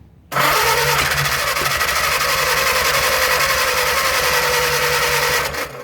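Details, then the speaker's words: 1937 Willys flathead four-cylinder generator engine, sat outdoors 15-25 years, after fixing loose coil wire: starter cranks about five seconds with faint tries at firing but won't start; transmission fluid in intake suspected of wetting plugs. "Y'all hear that? She tried to hit. Well, she's trying, just won't get there yet."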